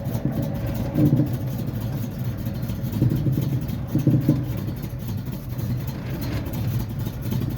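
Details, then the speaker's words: Dodge truck (4WD Little Red Express clone) just revived: weak idle, bogs and flutters on throttle, hard to pull first gear. "well the second you try to give it some throttle it doesn't want to go kind of a pain in getting that first gear"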